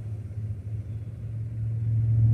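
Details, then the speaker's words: 2000 Toyota Camry 2.2 L 5S-FE at low idle; rpm won't hold steady, rising and swelling and car shakes; suspected bad or clogged idle air control valve. "see you notice it how it doesn't stay exactly still it's supposed to stay still and the car starts to shake"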